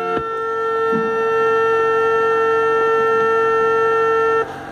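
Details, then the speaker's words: Car stereo with Pioneer DEH-S1080UB head unit: steady high-pitched whine through the speakers as soon as the key is turned, before repair; fixed by grounding the RCA lead to the body with a wire. "Ó, só de girar a chave já faz o barulho, já faz o ruído,"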